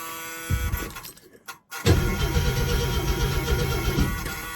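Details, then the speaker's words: 1937 Plymouth sedan with about 100,000 miles, cranked after the solenoid cable was tightened; after a short pause the starter spins the engine over briskly with an even chugging beat, about four per second, cranking healthy. "Oh yeah. Spinning over nice."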